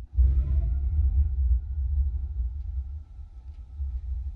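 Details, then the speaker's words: Newly installed gas water heater, first light after pilot lit: soft low whoomp as main burner ignites, then steady deep flame rumble; normal burner ignition. "and we have flame guys"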